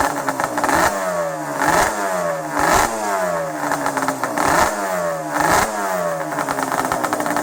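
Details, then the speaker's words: Banshee 350 two-stroke quad, first start after 6 months in storage, fresh premix and drained carb bowl, cold: uneven blubbering revs surge and sag, never running cleanly; owner suspects it is just cold and needs warming up. "I I can't tell if it's just cold or I know it's cold yeah warm it up take it for a ride cuz it always rides like that in the beginning you when they're cold"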